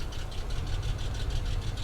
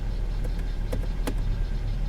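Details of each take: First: Salvage-auction car, warm idle, good cooling-system pressure and no water in the oil. A rapid, even knock over the engine note, deeper than a lifter tick, with rough running. Owner suspects a wrist pin or something in the lifter valley. Knock of unknown origin. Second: Under-hood idle of a salvage-auction V6 car, A/C on: steady, even idle with a faint click as the A/C compressor engages, settling smoothly with no knocks or miss; runs and sounds good, normal idle.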